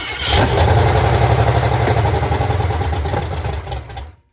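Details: 1985 Jeep CJ7 with AMC 304 V8, after fixing a distributor installed 180 degrees out: cranks and catches in under half a second, then settles into a steady, even run before shutting off; starts and runs normally.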